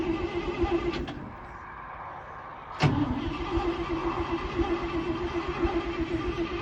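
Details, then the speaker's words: 1968 International Loadstar, mechanical fuel pump not working (owner suspects a worn cam lobe), replaced by a Holley inline electric pump: long uneven cranking over a steady pump hum, no start. Fuel was not arriving; tapping the carburetor bowls got it going, likely a stuck float. "Doesn't sound like it's running. Alright, well, before I drain my battery all the way down, let's go see if we're pumping fuel, I guess."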